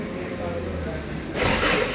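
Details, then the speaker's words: 2011 Toyota Hilux: starter spins the engine steadily but it never fires or picks up speed; cranks but won't start, an ECM problem. "Start की start करते हैं crank करते हैं मगर start नहीं होती"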